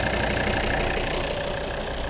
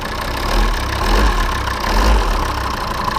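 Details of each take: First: Volvo P3-platform diesel first start after fixing a loud knock from the injection pump area: steady, even, smooth idle clatter with no sharp knocking, engine sounding healthy with no extraneous noises. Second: Volvo P3-platform diesel (XC70/XC60/S60/S80) idling with a heavy deep thump about once a second near the injection pump; pinching the EGR flap control vacuum hose stops it, so the vacuum pump check valve membrane is failed.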